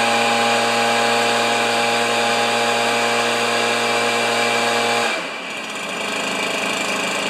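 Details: Stihl BR430 backpack leaf blower, neglected three years, running after the carburetor butterfly was flipped: high steady two-stroke scream held five seconds, then dropping off sharply as the throttle closes; normal running.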